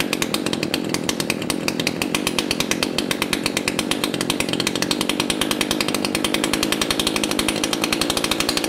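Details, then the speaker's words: Echo CS 590 two-stroke chainsaw, low-speed carburetor screw slowly turned clockwise: fast crackling high-rev running, sharp regular beat, sounding lean and unsettled; it revved up then nearly died, still hesitated after backing out 1/4 turn. "If you noticed, I tuned it very slowly. I turned the screw in clockwise. It got leaner, started to rev a little bit, and then nearly died."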